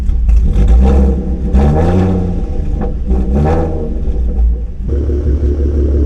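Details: Catless V6 Mustang, catalytic converters removed, running a tune on 93 octane: harsh raspy revs climb and fall with crackles and pops as the throttle closes; owner unsure if it runs rich; no flames.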